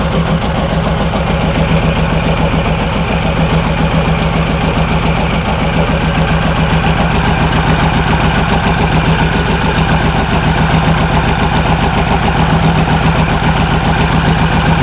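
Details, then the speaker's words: Honda VTX1800 V-twin with 3-inch long exhaust, pair valve disconnected and plugged: steady, loping idle with no popping or crackle, more loping sound and better idle than with the valve connected. "you hear the change pretty much uh right away I think it's noticeable I don't know you guys have to try on your own guys and gals but I think you get a lot more of a more of a loping sound without that hair valve hooked up"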